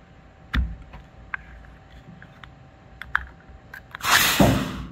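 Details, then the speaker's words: MGB fuel tank opened after a drive where fuel starvation struck mid 0-60 run: a few clicks, then a sharp rush of air into the tank, showing vacuum built up; the vent line to the vacuum canister near the engine was clogged. "so what that tells me is that this device right here vacuum canister this vacuum canister right here is either clogged or the line going back to the the canister up by the engine is uh is clog"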